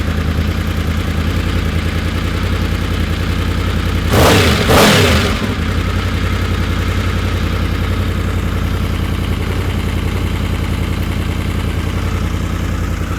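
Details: Honda VFR750 V4 on the lift after slow-screw O-rings were removed and the screws cracked out a quarter turn on each carb: steady, even idle, then a blip that snaps up crisply and settles back. Response was anemic before; not yet road-tested.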